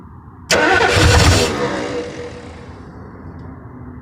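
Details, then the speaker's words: 1968 Ford Thunderbird 429 big block, long-sitting and rusty, after freeing the cylinders and adjusting the rocker lash: it fires suddenly, runs rough for about a second, then fades and dies; oil pressure is unknown. "I haven't gotten it to keep running but that's kind of okay I think I don't know if it has oil pressure at all"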